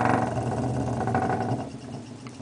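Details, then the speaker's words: Homemade magnet generator driven by a small motor on a nine-volt battery, feeding a bridge rectifier and Christmas lights at about 30 volts: steady whir drops in pitch and fades, stalling when loaded, then recovers when unloaded. "leads are still on their hip out stalled the motor right out I just barely took it off and it's it's starting back up again gaining more voltage"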